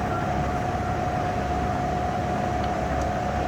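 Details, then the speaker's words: Microcut 5000VS 5HP Series 2 vertical milling machine spindle running in low gear: steady, even mid-pitched hum with no knocks or grinding; normal spindle run. "We're going to turn it off and go in low gear. We're going to turn it back on. Show you in low gear what it sounds like."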